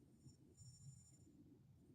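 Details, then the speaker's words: Phone camera's 3x telephoto lens that has started randomly refocusing: a faint thin high-pitched whine comes and goes when taking a photo or video. It drowns out video audio; the lens focus motor is hunting. "um yeah so anyway it's the lens on this camera now it would be the 3x lens like I can still take a picture regular picture but I've got that whiny sound"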